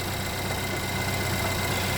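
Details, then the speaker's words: Engine with a P0011 code, first start after timing work aligning cam and crank marks with new oil control valves. Slightly rough at first, then it smooths to a steady, quiet idle with no misses or rattles; normal idle. "all right it sounds good um I'm going to give it like 3 minutes let everything circulate"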